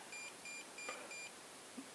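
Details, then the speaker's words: Salvaged Xiaomi M365/Ninebot-type e-scooter controller at power-on with the motor hall sensor connector deliberately unplugged: high beeps, one long then six short, giving error code 16 for a motor hall sensor fault. "donc apparemment c'est le code 16 donc un très long et 6,6 bip donc 16 octobre 16 c'est problème de moteur"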